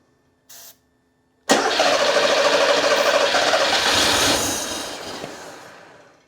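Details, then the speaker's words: Porsche 911 Carrera 3.2L on test stand, long-sitting engine, spark confirmed: short chirp, cranks and catches briefly on starting fluid then fades; no fuel delivery because the injector harness connector was left unplugged. "so now it seems to be a fuel issue so i'm going to check on the fuel injectors"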